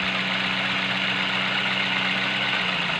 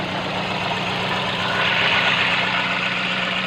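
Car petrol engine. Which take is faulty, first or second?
second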